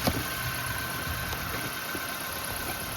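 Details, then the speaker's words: 2005 Nissan Pulsar N16, 220,000 km, original ignition coils, one coil unplugged at idle: uneven stumbling beat with a dead cylinder, dim ticking, unburnt fuel smell; misfire; coils then replaced with aftermarket ones. "It's very dim ticking sound. We need this sound to be very loud to have a good ignition spark."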